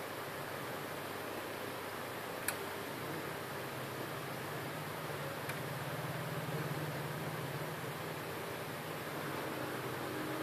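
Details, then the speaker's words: HP LaserJet M402dne laser printer hums and whirs steadily with no repeating gear click after the Tray 2 paper pickup gear mechanism tension spring and gears were reseated. "Now you can see there is no gear's click sound / noise."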